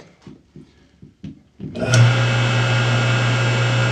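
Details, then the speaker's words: 2x72 belt grinder after motor swap with custom set screw in the pulley keyway: handling clunks then motor spins up to a steady even low hum with no wobble; smooth-running balanced motor. "turn it on and show you how smooth it's still running"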